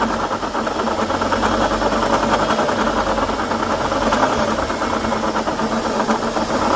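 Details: 2012 Chevrolet Sonic idling then revving: light rapid knocking following the belt, checked with a stethoscope. The noise stops when the belt is removed. Apparently a water pump bearing knock; pump likely needs replacing.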